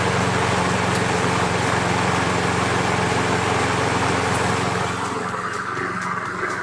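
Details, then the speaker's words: Self-propelled Craftsman 7HP 190cc Briggs & Stratton mower after front wheel replacement fixing no-propel problem: small single-cylinder engine holding steady even beat at running speed, no misfires or knocks; normal running. "all right again I'll start it up uh and show you that the lawnmower does actually self-propelled"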